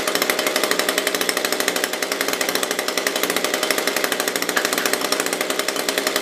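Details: SRM-210 small two-stroke after a new carb kit and spark plug, with oil put down the cylinder and primed: a sharp, even buzz fires about twelve times a second at steady speed with no misses, running cleanly.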